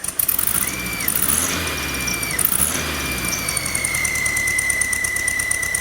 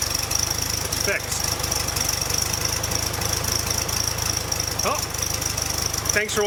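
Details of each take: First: Volkswagen under 1000 miles after rebuild, running rough at idle: thin whistle that swells and fades with each throttle blip over idle; owner suspected bearing but believes intake manifold vacuum leak, very certain it is not the belt or alternator. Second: Air-cooled Volkswagen flat-four after fixing an intake manifold vacuum leak, where a stud had stripped the head threads and was helicoiled; before the fix it idled rough with a bearing-like noise, now an even, steady low thrum with no hiss or stumble.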